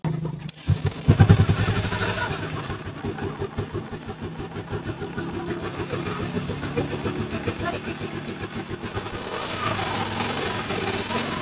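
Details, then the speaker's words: Rusi single-cylinder motorcycle one week after overhaul: lumpy, uneven idle with faint puffing tick each firing, tending to stall when throttled; air leaking at the cylinder head gasket. "mga idol yung naririnig kong tunog dito mga idol may singaw noer dito po sa part na ito at mukhang mag-action pa siyang mamatay pag binibig pihit"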